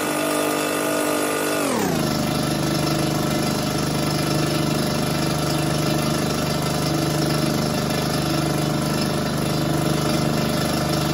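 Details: Fortress 5 gallon air compressor after pressure switch replacement (part #56402): motor hum drops in pitch at about two seconds then holds steady even drone, before cutting off at 225 psi; normal run.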